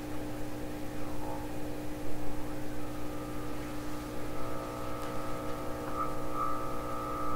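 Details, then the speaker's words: 1928 RCA Victor Model 28V radio on the bench with a signal generator tuned in: a steady low hum runs under the test tone and roughens it; received signal heavily modulated by hum, cause suspected, not confirmed. "So it sounds like it's heavily modulated by this hum signal that's in here. That's what it sounds like to me."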